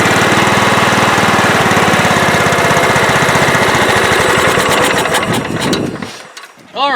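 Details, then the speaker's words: Late-1990s Scotts lawn tractor with a single-cylinder Kohler engine that sat for years: the beat swells and sags instead of holding steady, and the governor arm hunts back and forth. The carburetor is suspected and is to be cleaned. Engine surging. "so you hear it running and you hear it surging um it's not as bad as some engines that i've heard you can see the governor arm moving back and forth as it's hunting and surging"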